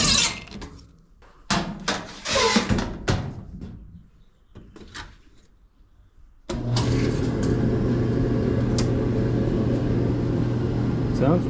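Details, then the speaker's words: Whirlpool electric dryer repaired for no-heat complaint, reassembled after teardown and clean-out; drum settles into a smooth, steady hum with no squeaks or thumps, running normally. "good. No squeaks."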